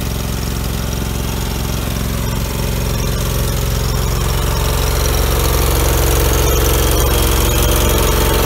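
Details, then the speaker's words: 2000 Allmand TLB-25 mini backhoe, 25 hp Kohler twin-cylinder gas engine, after head gasket replacement, driving up and down a snowy driveway packing snow; steady low twin chug with even firing, no knocks or rattles; normal running. "oh we got that engine all straightened out on this the head gaskets on it they're real good now just running up and down the driveway trying to pack the snow down there"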